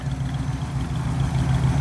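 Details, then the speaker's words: 1976 Ford Bronco original survivor, 302 V8. A deep, even burble at a steady idle with no misses or knocks: a smooth, healthy-running engine. "let's start it up and I'll let you hear it it's a pretty smooth running 302 I'm pretty excited about this Bronco as you can probably tell"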